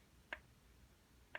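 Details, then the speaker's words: Carver PM-1200 power amplifier stuck in protection, solid red light, fans not running: two sharp dry internal clicks about a second apart over near silence, green level LEDs lighting with each click; cause not found. "around the three the green ones at the bottom there and the three level and they're lighting up at the same time that sound comes on"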